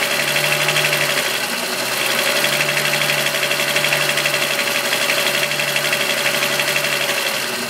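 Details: VW Golf VR6 2.9, 103,000 km, at idle: fast metallic rattle about four taps a second; chain-rubbing noise that grew louder after replacing upper hydraulic tensioner screw; cause unconfirmed.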